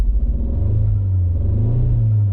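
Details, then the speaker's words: Alfa Romeo MiTo Cloverleaf with codes for cylinder 1 and 3 misfire and random multiple-cylinder misfire. Lumpy, uneven, low chugging with a stumbling beat like a lawn mower; engine misfire. "Miss on one cylinder sounds like a tractor now it sounds like a petral lawn mower oh dear right let's find out what's wrong with it"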